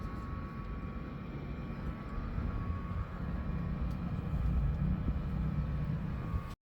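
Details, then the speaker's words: Two-year-old split-type aircon indoor unit after a pull-down cleaning: deep airflow rumble with a steady thin whirring tone on top, where before only wind was heard; worn blower motor bearing. "Dapat kasi yung wind lang yung naririnig namin like before. So ngayon parang may wearing sound."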